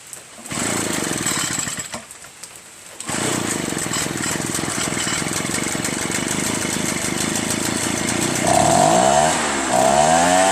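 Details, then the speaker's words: Echo PB-403T two-stroke backpack blower, carburetor cleaned and magneto reinstalled, kill wire removed: after a few false pulls it catches about three seconds in and runs steadily; the kill wire or switch is believed busted. "That was it. So the kill wire is busted."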